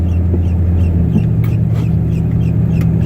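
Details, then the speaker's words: 1987 Chevy S10 project truck rolling slowly: short high chirps repeating over a steady low engine drone; the speedometer chirps until about 20 mph. "But the chirping you hear is the speedometer. For some reason, it makes that noise till we hit about 20 miles an hour."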